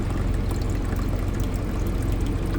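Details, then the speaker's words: Euhomy refrigerator and ice maker combo, ice maker switched on with plenty of fresh water: steady rushing and trickling fill that sounds normal, before the unit shows ice full, empties, and gives an add-water error. "Plenty of fresh water in there. Turn it on. And this is what happens. It fills just like normal."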